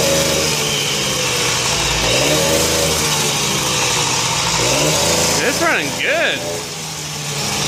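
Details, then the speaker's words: Hobbit two-stroke moped with a rebuilt motor, performance crank and stock carb, after a cold start following a few weeks unused: even idle buzz and a couple of quick blips that rise and settle cleanly; runs smooth. "good man look at that that's what I like about you will you got these smooth running Hondas"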